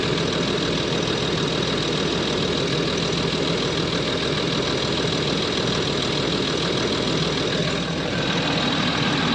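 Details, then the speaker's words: Land Rover Discovery 3/4 2.7L TDV6 diesel (chassis from 7A000001), after fuel filter change and priming: steady even diesel clatter at idle, no misses or hunting; no fuel or oil leaks; normal idle (owner attributes stored fault to turbo actuator, possibly getting slow). "So it runs. It runs fine.</b> <b>No problem getting fuel to the front."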